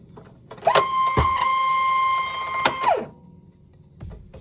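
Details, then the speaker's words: Philips bed-type cassette tape recorder on mains power: steady mid-pitched motor whine rising, holding about two seconds, then winding down while nothing in the transport works; rusted motor or belt issue suspected. Motor runs but tape mechanism does not work. "So ஏதோ motor ஓடுற sound கேக்குது ஆனா சுத்தமா எதுவும் ஒொர்க் ஆகல"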